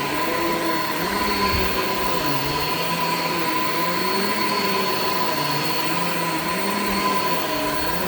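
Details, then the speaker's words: Shark Infinity Pet Care vacuum vacuuming a living room: loud steady motor roar with a faint wavering squeak on top; the very old brush belt is shot and slipping, brush roll stopped many times, needs replacing. "all right so as you could hear the belt on this is like pretty much shot like it's it's really old clearly needs to be replaced"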